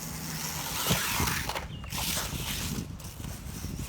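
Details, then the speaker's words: Traxxas 1/16 Mini E-Revo VXL brushless RC truck: gritty grinding over electric drive whine, rising with throttle and loudest in reverse; owner suspects play in transmission gears, centre driveshaft fine. "You might be able to hear that grinding when I go in reverse, but yeah, it's you can really hear it there. So I don't know what's causing that, but it is what it is."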